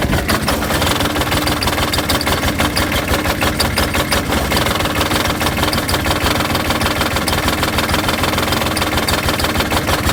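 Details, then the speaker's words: Diesel engine on a John Deere F935 mower, suddenly started running badly while mowing; filter cleaned and fuel flow good: uneven chugging with irregular sharp fuel knocks about three per second and heavy black smoke. "so it does run bad I was trying to show you the smoke coming out the tailpipes got heavy black smoke its chugging it's running bad it's got a little bit of a fuel knock it doesn't normally sound like that when it's running good"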